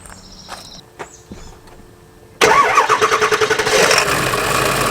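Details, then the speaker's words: Ford 7.3 diesel van at idle: diesel clatter with a rhythmic chattering wobble about three times a second from the vacuum pump; bad bearings in the vacuum pump pulley, pump to be replaced. "that noise you just heard it's the same thing and obviously that pulley the bearings inside are bad"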